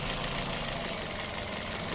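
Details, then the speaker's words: Toyota Vios Gen 2 after replacing the faulty cylinder 1 ignition coil with a genuine Denso unit: steady even idle, no shake, stumble or rpm swing; previously shook, dropped revs and wouldn't accelerate. "จะเห็นว่าเครื่องกลับมานิ่งทันทีเลยนะฮะ"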